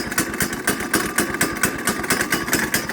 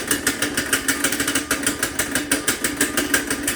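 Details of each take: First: Kid-sized go-kart with a small Honda single, running after a cold start with the choke taken off. A steady, quick, even beat with no misses runs cleanly, though it is said to have some trouble idling: normal running. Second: Kid-sized go-kart with Honda engine, completely cold start with choke on: rough, uneven popping run that keeps sagging as if about to die; choke to be taken off; has some trouble idling.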